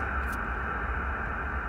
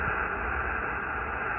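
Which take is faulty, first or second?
second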